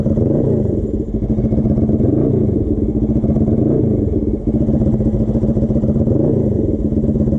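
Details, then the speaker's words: Custom Suzuki GS450 scrambler, warm, riding; rough drone dips and stumbles twice, near one and four and a half seconds; engine breaking up under load, later traced to a dying original ignition coil. "you this thing's start to break up a little bit I don't he's still low but he had a couple times were sort of fluctuate he right there"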